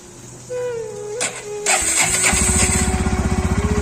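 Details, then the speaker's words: NS125 motorcycle after repair of its self-starter: the starter whirs, then the engine settles into a rough, lumpy, pulsing idle with a rattly edge, like an old bike. Abnormal noise after starting. "उसके बाद मैंने इसको repair कराया तो ये start होने के बाद ऐसी आवाज कर रही है। ये स्टार्ट होने पे एकदम गंदी सी आवाज कर रही है जैसे पुरानी पटाला बाइक की है।"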